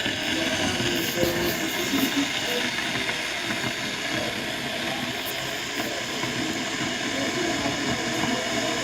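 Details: Electric kettle before repair, switched on: steady rushing hiss and rolling boil that never cuts off; kettle fails to switch off automatically due to faulty thermostat switch.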